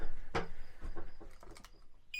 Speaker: О, слышите, да? Этот работает. Нажимаете тест. Работает.